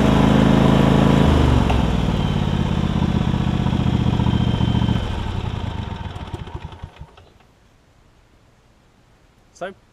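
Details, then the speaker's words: John Deere LX277 riding mower that runs and drives great, after swapping a 38-inch deck from a parts LX178 onto it: small engine idles steady, pulls smoothly, then winds down cleanly. Everything works. Normal running. "so i'll crank it up i'll show you that everything runs and does what it needs to do and we'll wrap this video up"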